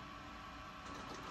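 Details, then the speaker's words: Epson SureColor F2100 DTG printer at startup with low white ink, circulating ink; quiet steady whir with a faint constant tone and soft mechanical rustle, normal ink circulation cycle. "well now it's starting to circulate the ink um"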